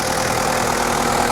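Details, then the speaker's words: 1994 Toyota Hilux Surf 1KZ diesel after viscous fan hub replacement and 10-blade fan upgrade: steady, even idle with constant fan rush, no knocks; fan not yet fully engaged, not hot enough; all sounds good. "But yeah, everything's, everything's sounding good, so I think we're gonna call it a day."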